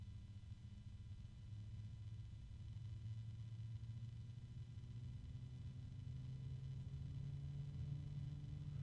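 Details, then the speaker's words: PC case fan running normally at low speed after starting at very low voltage: quiet, steady low hum with faint even tones, no rattle or buzz. "I'm not hearing any Harmony harmonic resonances but yeah this is kind of wait see"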